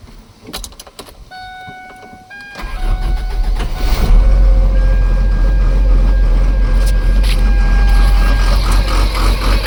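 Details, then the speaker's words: Cummins diesel in Ford F750 truck, first start after sitting years, empty fuel filter refilled via fuel pump, jump box: few seconds cranking, catches and settles to steady even low idle; normal idle. "I'll let it idle and see what happens. Well, that sounds better. Let it run a while. Make sure that skip is gone."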